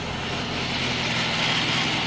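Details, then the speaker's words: 2007 Chrysler 300C 5.7 Hemi that sat 6–7 years, after fuel pump replacement and injector cleaning, on jump box: steady, even hum, no misses, stumbles or surging; now idles smoothly on all cylinders, unlike earlier stuttering. "Oh yeah, she running. She running smooth now."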